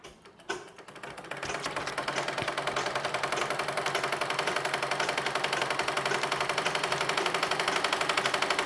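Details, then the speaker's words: Treadle sewing machine after full cleaning, thread and fabric lint removed, and oiling: quick light ticking about four a second in an even rhythm, running fast and freely; it ran heavy and sounded heavy before. "और ये कितनी fast चल रही है, क्योंकि इसकी हमने पूरी सफाई कर दी है और जितना भी इसके अंदर धागा वगैरह था, रोए थे फैब्रिक के, वो सब हमने निकाल दिए हैं।"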